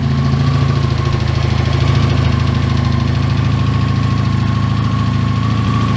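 Even, low, throbbing idle holding a constant pace with no knocks or misses; the engine is running smooth and healthy.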